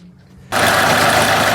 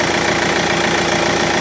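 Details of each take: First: 2013 Kia Ceed 1.6 CRDi diesel: the engine catches and idles with a harsh metallic grinding rasp over the idle from a worn alternator freewheel clutch (overrunning pulley), which is to be replaced. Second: 2013 Kia Ceed 1.6 CRDi diesel after replacing the alternator freewheel clutch pulley: steady, even idle clatter with no grinding or squeal from the front of the engine, charging normally; healthy.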